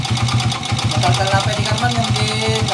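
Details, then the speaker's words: Honda TMX125 motorcycle engine, previously converted to 155 and returned to stock, very noisy; at idle a hard metallic knock repeats steadily with each firing pulse, from the number one connecting rod. "number one connecting rod mga kaabo yan maingay"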